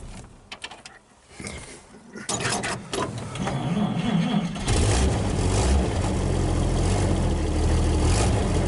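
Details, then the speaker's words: Second old vehicle being started: the engine cranks, catches and settles into a loud, blatty, raspy idle. It has an exhaust leak from a big hole in the down pipe. "so I got some exhaust work I got to do to this one to the down pipe oh he's just got a big hole in it"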